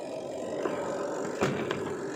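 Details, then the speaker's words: Washing machine spin dryer, with the timer knob switched off: a smooth, even whirr with no scraping or knocking, just a couple of light taps. It is now running quietly, where it was very noisy before. "और अब देखिए कितना ज्यादा smooth हो चुका है without noise. इसमें कोई भी नॉइस नहीं आ रही। आवाज नहीं आ रही। पूरा परफेक्ट यह चल रहा है।"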